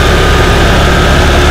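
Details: Honda Vario 110 scooter after water pump mechanical seal replacement (coolant had leaked into the oil, turning it milky, and the overheat light came on), coolant refilled, running about 5 minutes for a leak check: loud, constant, steady idle with no knock or hunting; normal.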